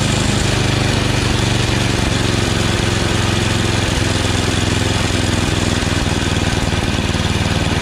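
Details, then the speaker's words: Yard Machines snowblower with an 8 hp Tecumseh engine, after replacing the surging, non-priming carburetor with a 632334A copy and the fuel line and raising the idle screw: steady, even single-cylinder chug at full throttle with no surging. It runs normally. "new carburetor i just over the idle a little bit through the idle screw here as you can see it doesn't surge anymore"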